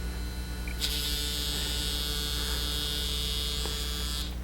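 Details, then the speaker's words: Nokia Lumia 900 vibrate motor: harsh metallic buzzing rattle, like an electric razor, for about three seconds with a steady high whine; normal for this model, confirmed on another unit. "So the 900 definitely has a more metallic rattle to it when it vibrates. It's not a deal killer, it's a little annoyance."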